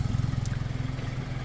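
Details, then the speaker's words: Hyundai Elantra idling: a low, rapid puffing rumble from underneath, an exhaust leak where two exhaust pipe sections join after the fastener rotted away, leaving soot; fix is bolting it back together. "So, you see where this two sections of exhaust pipe join. The uh fastener rotted away and it's allowing exhaust to leak through that spot there."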